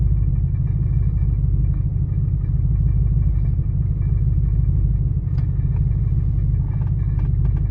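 Deep, uneven idle rumble with a lumpy, unsteady beat and no clean rhythm; the engine is idling rough, cause not yet pinned down.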